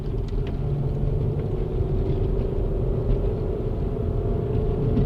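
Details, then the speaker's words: Toyota 1MZ-FE engine after bearing repair for knocking, first drive in months, climbing a big hill under load: steady deep even pull, no knocks, ticks or rattles, knock sensors no longer kicking in; healthy engine. "Yeah, it's doing all the right things. No noises, and it's pulling really hard, which is what I'm used to."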